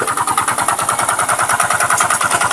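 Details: Rider G FI motorcycle engine brought in for a strange noise: hard, regular knocking about seven or eight times a second over a rough idle, deep in the bottom end; a worn connecting rod.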